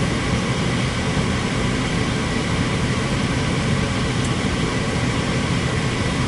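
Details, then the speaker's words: Attic gas furnace that fired for 3 seconds then shut down, restarted after cleaning the dirty flame sensor: steady, even low whoosh of the inducer fan spinning up normally, no rattle or scrape, before glow and ignition. "It is on there, good. There goes the fan."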